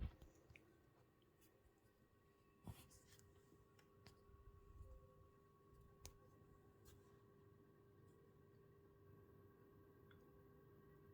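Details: PS5 with faceplates off, idling before going into a game, gives a faint steady high coil whine and low electrical buzz with a few light clicks.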